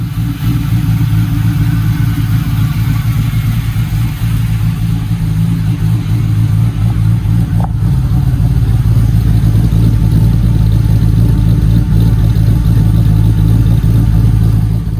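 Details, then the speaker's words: LS1 V8 in a Toyota Hilux, first start after a garage rebuild with full gasket kit, 219/227 cam and fuel system work, bottom end untouched: strong, steady low rumble with an even beat, no knocks or misses; running normally. "All right, cool. That's started. That's good. I'm really happy."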